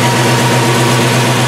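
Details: Ford V8 in an Early Bronco, after fitting Percy's multilayer aluminium header gaskets to fix a passenger-side header leak: deep smooth idle burble with no ticking or exhaust puffing; sealed, normal idle.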